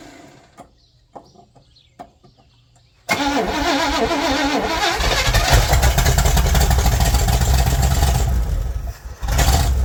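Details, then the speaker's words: 1961 Chevy Impala four-door, sat 20 years, running on a boat fuel tank: cranks briefly, catches and settles into a steady, even V8 lope, no knocks or misses; normal idle, though it still needs a generator or alternator. "so she needs an alternator or generator but she runs she runs"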